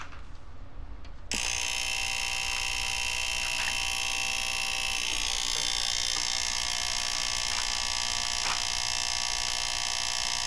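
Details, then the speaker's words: Fisher PC-19R90 15-inch TV, back cover off, turns on and works fine: loud, steady high-pitched rattling buzz with faint rapid ticking right at switch-on, loudest near the relay; a failed capacitor near the relay. "el problema que tiene esta televisión prende bien trabaja bien excepto que tiene un ruido muy fuerte Como una matraca ahorita lo van a escuchar"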